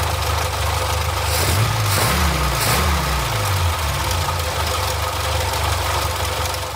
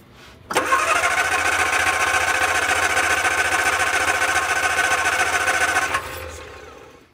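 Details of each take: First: Barn-find Austin-Healey Sprite after the leaking 60-year-old fuel pump was replaced with a new one: low, slightly lumpy idle with nothing odd on top, fuel now reaching the engine. Normal idle. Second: Barn-find Austin-Healey Sprite, previously running only off a fuel bottle: starter spins briskly about five seconds without firing. Old fuel pump can't prime itself, so no fuel reaches the carbs; cranks but won't start.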